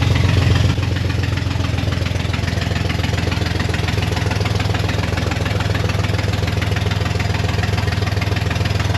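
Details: 1969 Corvair (paperwork says 69) flat-six, unrun for years, first start on jump box: loose, uneven idle with fast ragged puffing chuff about three per second over a deep rumble; exhaust leaks and rough running, loose belt noted.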